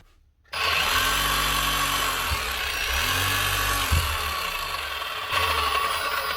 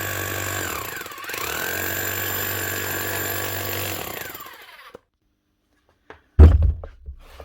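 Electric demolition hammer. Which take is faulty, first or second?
first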